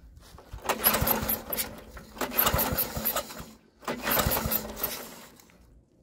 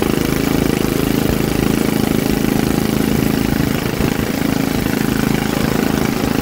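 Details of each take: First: Troy-Bilt rear-tine tiller, choked and given ether after carburetor cleaning: three rope pulls, each a short clattering turnover that dies without catching; won't start, owner now suspects no spark. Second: Troy-Bilt rear-tine rototiller engine after magneto cleaning restored missing spark and carburetor cleaning, choked for carb adjustment: loud steady putter with no misses or surging; single-cylinder engine starting and running normally.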